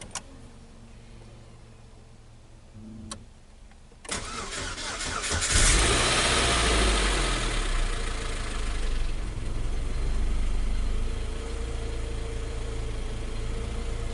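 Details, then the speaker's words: Saturn Ion engine, start after a rebuild for a cylinder 4 misfire caused by a burnt head valve: a few quiet seconds, a short crank, prompt catch and flare of revs settling into a smooth idle; check engine light on; normal start. "up another start it's pretty smooth"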